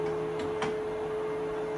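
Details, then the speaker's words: Precision Matthews PM 1228VF lathe running with the power feed engaged: a low, steady hum with faint ticks and the gears barely audible. It is quiet, normal running after the owner's upgrades. "you can see it's not very noisy we can hardly hear the gears you hear the wear of the lathe or not the gears"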